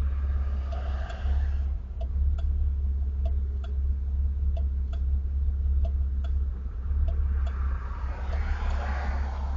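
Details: Camaro with a 347 V8, recorded with T-tops off and windows down: low, uneven idle rumble with light periodic ticking that lopes and shakes instead of running smoothly; rough idle.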